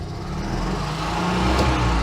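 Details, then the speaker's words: Invacar TWC small two-stroke, first start in a long time after fitting a new throttle cable, on jump start: engine keeps revving, won't return to idle and must be shut off; sticky grease in the outer cable sheath suspected. "sticky, so I do actually have to shut it off myself, but that is working."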